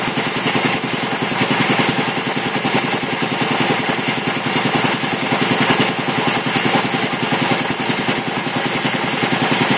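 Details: 1975 Quincy QR 325 compressor, converted from 3-phase to a GE 5HP single-phase motor, pump slowed from 796 to 621 rpm, building pressure; even, rapid chugging that holds a steady beat with no knocks or squeals. Normal running.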